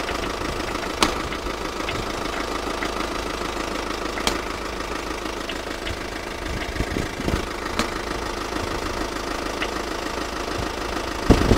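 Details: VW Passat at idle: steady engine hum with scattered sharp knocks at irregular moments; engine knocking noise, source unknown.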